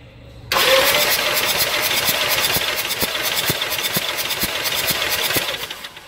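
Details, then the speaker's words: 2018 Mitsubishi Triton (L200) diesel, compression test before engine replacement: starter spins it with a lopsided uneven chuff, one beat missing each turn; gauge shows no compression at all on the first cylinder. "mas dá para você ver ele aqui no primeiro cilindro não tem compreensão nenhuma então tem que fazer a remoção"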